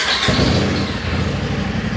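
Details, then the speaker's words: 2018 Polaris RZR XP Turbo after replacing the failed turbo with an OEM-spec unit, starting for a test ride: catches cleanly after a quarter second into a steady, even idle, no misfire or rattle; earlier garage-filling smoke gone. "The smoking has gone away because, like we said before, Dylan started this thing up and it would fill up the entire garage with"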